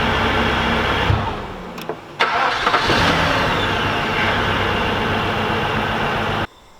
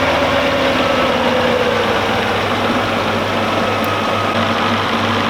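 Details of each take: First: Audi S8 4.2 V8 (340 hp), after fixing a crank no-start caused by a shorted blown fuse under the hood: cranks, catches and settles into a slightly lumpy idle; one cylinder misfiring. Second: Audi S8 4.2 V8 (340 hp) on LPG, after a crank-no-start from a shorted blown fuse and a bad coil causing a cylinder 5 misfire: now an even, steady idle rumble with no skips or stumble; engine runs smoothly on all cylinders.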